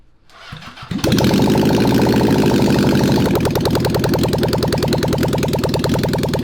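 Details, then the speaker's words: Honda CB750 SOHC four-cylinder swapped into 1980s Suzuki Quad Sport, first start in years after carb bowls cleaned and refilled, choked, no pods or exhaust fitted: catches after a second, quick uneven idle; confirmed on all four cylinders, needs pods and exhaust. "it was kind of idling man yep i mean she needs well she's gonna need pods yep it's gonna need exhaust yup it's it's not gonna run right until uh we get pods and exhaust you know"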